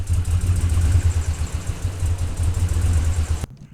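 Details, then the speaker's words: 2010 Dodge Ram 1500 5.7 L, first start after cylinder head installation: lumpy, uneven idle that surges and stumbles, misfiring badly; a pushrod was put into an oil galley hole instead of its lifter. "So now that you heard it run and fail miserably and sound very, very bad, it was misfiring pretty bad, so I knew something was up."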